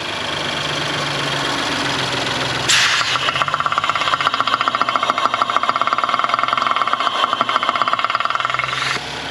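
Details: Audi S4 B9 3.0T at about 33,000 miles, just after start-up and before a precautionary rocker arm replacement: fast, even metallic ticking over the idle in the valvetrain area; cause unclear.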